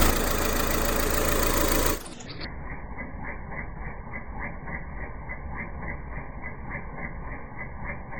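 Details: 2001–2005 Honda Civic LX with a strange engine noise when accelerating: rhythmic light ticking with a faint chirp, about three or four a second at idle; worn-out timing belt tensioner.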